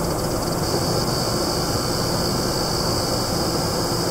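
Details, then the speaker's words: Sapphire Vapor-X R9 290 graphics card under benchmark load: a constant high thin whine over fan air that stops when the benchmark is paused. Coil whine suspected, not confirmed. "this only on the load on the pressure when I pause the benchmark as you can see the sound stops"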